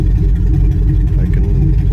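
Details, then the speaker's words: 2005 Chevy Tahoe 5.3L V8 with no exhaust fitted: loud, deep idle with an uneven stumbling misfire, P0300, no power. New plugs, wires and coils didn't fix it; the cause was a catalytic converter clogged by a bad oxygen sensor. "it's not always ignition or it's not always what you think so still gonna misfire"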